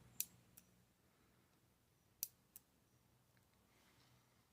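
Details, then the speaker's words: Relay with its resistor removed, 9-volt batteries on switch terminals 1 and 2 under oscilloscope test for back EMF; two crisp pairs of clicks, on then off, about two seconds apart; switching cleanly, normal relay operation. "We've just now removed the resistor, so we're just going to turn this on and off again."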